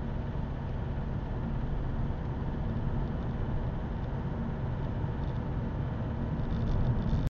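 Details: Opel 1.7 CDTI Z17DTJ diesel with Denso injectors, cold engine: runs rough and loud with a hard tractor-like clatter over a low rumble; quiet once warm, no error codes; fixed by replacing a faulty injector.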